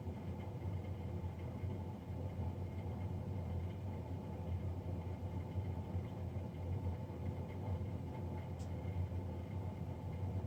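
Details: Navien NCB-240 boiler recorded three days after a Jan 31, 2020 service: loud, steady, even roar with deep hum underneath, no knocking or rhythm; combustion fan running noisily.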